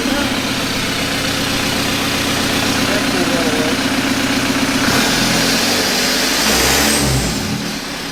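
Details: 1991 Toyota pickup with swapped 1.9 L ALH TDI turbo diesel from a 2000 VW Jetta, warm with oil cooler thermostat opening. Steady diesel clatter at idle, then revs climb cleanly and drop back without stumbling; running normally.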